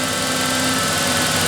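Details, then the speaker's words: 1988 Ford Ranger 2.9L V6 after manifold pressure sensor replacement and new idle air control valve, still warming: even steady idle slightly high, expected to settle at 800 rpm when warm, no stumbling or shaking; normal idle. "of course it's got to drop down a little bit yet too it's still it a little bit high but once it warms back up it will run it right at 800"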